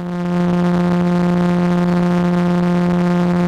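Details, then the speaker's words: Behringer Odyssey synth with intermittent crackling distortion on all audio outputs, starting when most green slider LEDs failed, worse the longer it is on; correct power adapter confirmed. Steady low droning tone with a gritty, buzzy edge; cause not yet found. "that sound was not there before just started recently about the same time as led issue and again it is something that seems to be intermittent where at a certain point it may or may not stop being distorted and go back to a normal cleaning sound"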